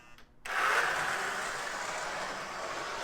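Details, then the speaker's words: Lionel #41 Navy switcher model locomotive after armature and worm gear cleaning; coarse raspy whir as power is applied, settling and fading as the motor reaches speed; quiet at running speed in both directions. "does have a little bit of noise coming out of the gate when you give it gas but uh we'll see if we can tweak that a little bit more"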